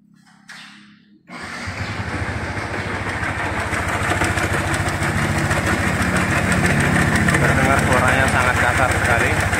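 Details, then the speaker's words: 2019 Yamaha Vixion R during a major service: starts, then idles with a harsh, diesel-like clatter ticking about three to four times a second; teardown found a destroyed camshaft bearing. "Di sini akar permasalahan membuat suara mesin air jadi [Musik] sudah ditemukan masalah utamanya. Kenapa suaranya bisa kasar ya seperti mesin diesel ya. Jadi ini kelaharnya hancur ya."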